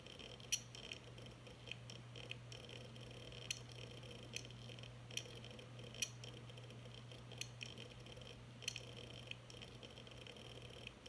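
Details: Hard drive spinning with low steady hum and sharp clicks about once a second, plus beeping, after being dropped 3 ft.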